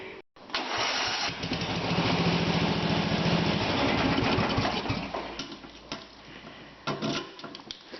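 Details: Murray Wide Body LT off-road mower with a 12.5hp Briggs & Stratton, started via newly wired key switch and push-button ignition: short crank, then catches right away into a steady, even putter; starts cleanly and runs fine.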